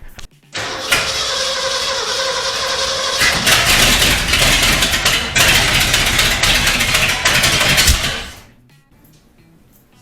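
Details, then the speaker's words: 1979 Ford F350, first start in about 15 years after the firing order was corrected: cranks, catches and runs with a busy, slightly uneven V8 beat; it stalled from running out of fuel. "That was it. Just running out of gas. It's running better already."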